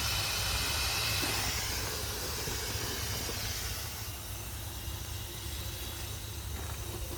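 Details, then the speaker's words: Small marine steam engine on first start attempt, never run on air: loud steady hiss of escaping steam over slow uneven chuffing; steam leaking past the cylinder head joints, out of the bolt holes. "It's got some head leaks. It should run on steam, but I'm not going to say it's going to."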